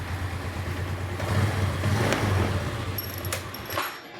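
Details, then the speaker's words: Scooter with an ignition problem, hard to start on the electric starter but starts easily on the kick starter: a few kicks, it catches and settles into low steady idle; starter motor and battery ruled out, CDI starting circuit suspected. "Tes lagi ya. Kalau disela gampang ya. Nah, kalau di starter susah ya penyakitnya nih, Bos."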